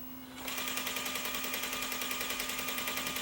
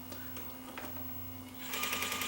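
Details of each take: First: Sony EVS-7000 Hi8 deck in fast forward: fast steady tick about three times a second over high whirring tape transport; cracked reel gear ticking. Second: Sony EVS7000 Hi8 deck in full fast forward: steady low motor hum, then faster, lighter whirring as the tape transport spins up, without the tick-tick of cracked gears; normal fast-forward transport sound.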